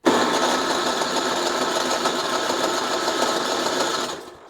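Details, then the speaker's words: Ariens ST824 snowblower cranked with electric starter: steady grinding for about four seconds with a hollow whoosh, never catches; known fuel problem, primer not working and leaking gas at the switch, so no fuel reaches the carburetor. "Nope. See, it's making a a a whooshing noise, not a bubbling noise."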